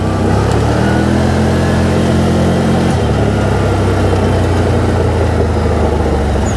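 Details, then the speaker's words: 2012 Bennche Spire 800 UTV after ECU reset and repairs, driven around a yard: engine pulls cleanly through revs, drops back, picks up again with no miss or clatter; has pep; normal running. "see how this thing runs now take a little cruise around the front yard don't beat my head to death it's got a little pep pick up and go that's good"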